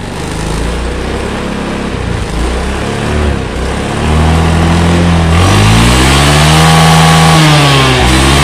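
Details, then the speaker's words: Honda Beat carburetor scooter with heavy, powerless pull from leaking carb vacuum, after new vacuum fitted: idle now normal; full throttle climbs cleanly from idle and holds at the rev limiter, which before topped near 7000 rpm; normal full-throttle revving. "memang oke untuk hasilnya Joe sesuai harapan ya saat digas mentok di rpm nya itu bisa limit tadi ini sebelumnya itu enggak bisa limit ya"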